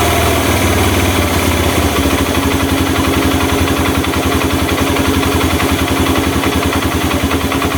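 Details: Honda Mega Pro mono single-cylinder, after an air leak was found and the air screw adjusted to cure hard starting and idle dying: thump settles into a steady, even idle after a brief rev change, holding without hunting.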